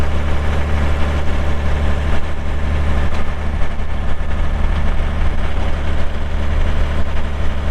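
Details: 2001 John Deere 5320 4WD cab tractor with 541 loader and sync shuttle, showing 358 hours (meter replaced), just fired up: a steady, even low diesel rumble with no knocks or misses settles into a smooth idle. The engine sounds healthy.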